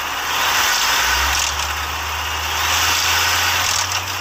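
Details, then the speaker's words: Ford 3.5L EcoBoost V6 revving: a prominent ratcheting chatter, mostly from the passenger side and attributed to a failing VCT solenoid, plus a faint diesel-like knock from failing cam phasers. Suspected, not confirmed. "so the the diesel type sound in the back is the phasers failing and then the more prominent chattery sound is actually the vct solenoid failing so there's two different sounds going on in this video"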